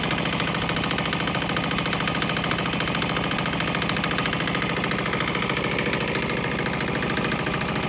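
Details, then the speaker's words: Swan X 165F Chinese single-cylinder diesel on 50-50 used motor oil and diesel: even steady thump around 200 beats a minute, no misses or knocks, earlier bucking and stumbling cleared; normal running. "But hey, look, it seems like it smooths out a little bit. There was kind of bucking and stumbling, but I think it cleared up after it transitioned to the straight diesel motor oil mixture."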